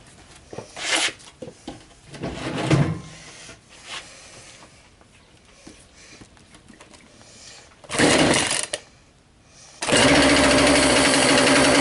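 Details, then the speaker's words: Husqvarna 142 e-series chainsaw, a few years old, revived after sitting with stale gas: carburetor cleaned, fresh premix, idle adjusted; a few sputtering pulls on choke, then it catches and holds a steady high buzzing run, starting and running normally. "so I had messed around with the idol a bit when when I took the carburetor off but you guys could see it starts"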